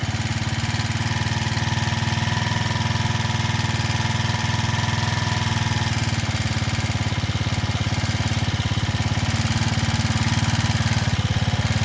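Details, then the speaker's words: Janus Halcyon 250 single after fitting a 28mm Nibbi performance carburetor: steady, fast chuffing idle that never settles to a slow beat. Idle racing high after the throttle cable adjuster was changed; target idle is about 1500–1600 RPM. "Tighten that up. Yeah, you can hear the idle is now racing."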